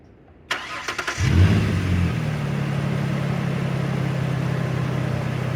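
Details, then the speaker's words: 2007 Ford Ranger after fitting new Motorcraft aluminum belt tensioner and new belt: short crank, steady even idle with no chirp or squeal; old shaking tensioner was likely stretching the belt. "So before, that tensioner was always shaking. I think that was the problem. I think it was stretching the belt out, so did good."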